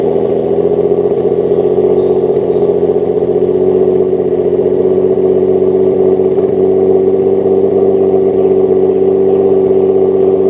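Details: Running engine with a steady drone and a slightly uneven, lumpy pulse that comes and goes as it revs; owner suspects a misfire, not confirmed.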